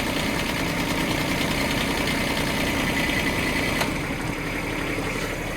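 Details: Small Bobcat micro digger diesel engine idling steadily and evenly after a flat battery; its oil pressure switch works, so no warning buzzer sounds.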